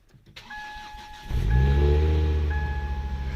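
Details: Ford Focus XR5 starting after a cracked oil sump was patched with JB Weld and the weak battery was charged overnight (owner thinks the battery is toast): warning chime, brief crank, then it catches and settles into an even low idle, a healthy start.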